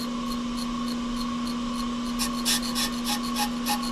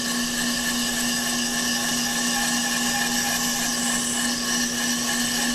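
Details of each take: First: Off-the-car brake lathe machining a hubless brake rotor mounted with cup, spring and cone, bits just off the outer ridge: steady ringing hum with a rapid scraping rasp about three per second; rotor chatter, a dampener is to be added. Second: Off-the-car brake lathe finish cut on a hubless brake rotor, rotor feed on, chip deflector/silencer fitted, a couple thousandths cut: constant even hum with a steady mid-pitched cutting tone, no chatter or squeal; normal rotor cutting.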